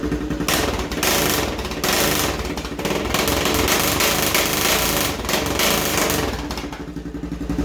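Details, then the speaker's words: 2011 Honda Recon 250 ES ATV, startup with key on, neutral light on, kill switch off: loud, raspy single-cylinder idle, no muffler, uneven and stumbling; running rough, cause not stated. "Yeah, you hear that? It's not running real well."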